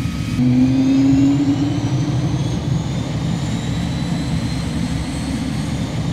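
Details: Cirrus Vision Jet, Williams FJ33-5A medium-bypass turbofan rated at 1,846 lb thrust, start heard from the cockpit: a deep roar with a thin whine climbing slowly and steadily in pitch as the engine spools up, with ITT, N2 and N1 rising; a clean, normal start.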